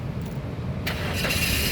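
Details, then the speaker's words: 2011 Mazda 2 1.5 R Sport automatic, about 85,000 km: a short starter whirr, then it catches at once and settles into a steady run with no hesitation, a healthy quick start showing battery and starter are fine. "Nah, pada saat kita nyalakan mobil, pastikan bahwa dia nyalanya itu langsung jreng. Kenapa? Kalau dia nyalanya tersendat, berarti ada kemungkinan permasalahannya di akinya sudah soak atau dinamo starternya itu bermasalah."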